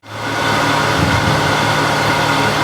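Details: Harvey wood lathe running at about 1600 RPM before spindle bearing replacement, sound meter averaging about 64; steady even hum with constant mid-pitched tone, no knocks or rumble; normal lathe running noise.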